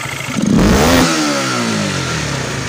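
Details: Honda Supra GTR 150 after refitting the throttle body with the TPS position adjusted, following sputtering and no response on sudden throttle: engine blips up quickly and falls back smoothly with no stumble; clean throttle response, problem fixed.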